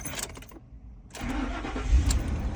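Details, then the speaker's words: 2004 Ford Expedition with crank-no-start, fuel pump powered by jumper direct from battery positive: engine catches after about a second and settles into smooth steady idle; fuel pump works, fuel pump relay in fuse block faulty. "okay so the fuel pump works it's running just fine plugged in like that"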